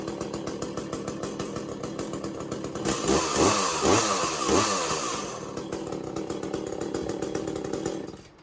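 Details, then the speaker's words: Echo CS400 chainsaw after OEM oil pump replacement, before carburetor tuning: uneven hunting buzz that swells and sags, never steady; runs rough, owner says it needs a tune, muffler mod and port job. "Do some tuning. Right now this all sucks. Needs a tuning, that might help out a little bit."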